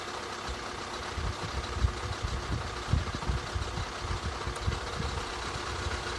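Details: 2013 Skoda 1.6, 105 hp, at quiet idle. Irregular dull low knocks coming through every so often. Knocking noise at idle, cause unclear.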